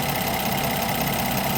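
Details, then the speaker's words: Brand-new 2025 Ram 1500 Big Horn with the SST inline-6 twin-turbo (420 hp, 476 torque): steady idle with busy, fast, light ticking over the engine note; owner feels it is a lot of clicking, cause not yet figured out. "it just seems like a lot of clicking so when we figure it all out we'll get it figured"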